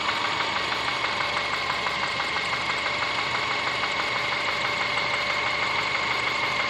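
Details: Subaru Forester SG5 with EJ25 engine: sharp, regular metallic tapping about three per second over the idle; engine knock, cause unconfirmed.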